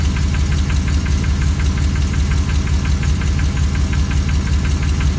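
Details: 2004 Silverado 6.0L LQ4, cold start: a steady, evenly spaced knock about three a second over the low idle. It begins 30–60 seconds after starting and quiets when warm. Owner wonders about rod knock, lifter, piston slap or flex plate.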